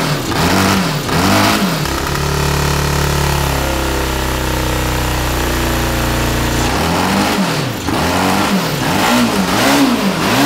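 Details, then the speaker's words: 1982 Honda CB750 DOHC four-cylinder in a cross kart, after head service and coil change: blips and holds raised rev, then stumbles unevenly when throttle drops and won't idle; dirty gummed carburetors, later ultrasonically cleaned. "it probably needs to warm up effort"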